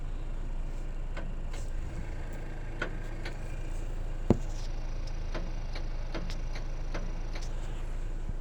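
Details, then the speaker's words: 2021 Chevy Equinox, about 1,500 miles, high beams on the automatic sensor: sharp light clicks at irregular intervals, one or two a second, over quiet cabin hum; owner suspects the high beam relay switching, quite loud. "for a high beam switch like the relay i don't know if you can hear it i'll try to get close"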